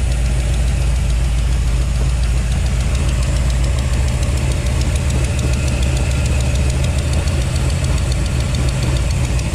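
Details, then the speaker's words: 1955 Chevy with headers at idle, with irregular light clacking about three times a second low on the block. Owner ruled out the rocker arms and suspects the used fuel pump pushrod he installed. Fuel pump pushrod clacking. "well okay so it's not the rocker arms something down low up here i'm wondering if it's that fuel pump rod because i just used a used one that i had here"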